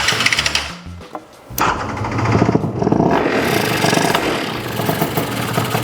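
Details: Yamaha BWS 100 two-stroke scooter with Malossi 125cc kit and stock airbox, airbox off, after it had been running super rich (main jet 75 considered instead of 78): crisp buzz revving cleanly, no gurgling or stumbling.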